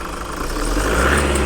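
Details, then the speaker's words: Toyota Fortuner diesel at about 170,000 km, loud noise at the front of the engine: metallic whirring rattle on revving, like metal rubbing on metal; charging checked first. "ได้ยินเนาะเขาเรียกอีกเลขเสียงคล้ายๆเหล็กเด็กสีกับเด็กนะครับ"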